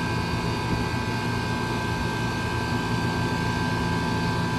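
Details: Soliton heat pump air conditioner: steady even hum with a constant fan rush and compressor drone, no knocks or rattles; running normally.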